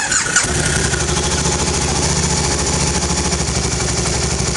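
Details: 2011 Can-Am Spyder RS-S SE5 electric-shift five-speed, in neutral with park brake on: short crank, fires at once and settles into an even, steady idle with regular pulses; clean, healthy start.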